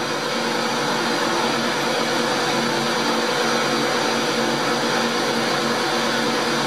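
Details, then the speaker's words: Motor, cold, while drilling a worm gear part: steady even electric motor drone with thin whine on top; owner suspects bearing whine when cold, needs greasing, not confirmed. "but he that wine the bearing in the motor it'ss like that when it's cold"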